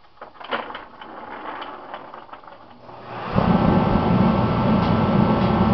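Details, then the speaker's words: Rebuilt Mr. Heater contractor series torpedo heater: rapid igniter ticking for a few seconds, then a deep steady roar as the burner catches at once; normal ignition and startup, pump pressure about 8 psi. "right up folks fires right up no problems"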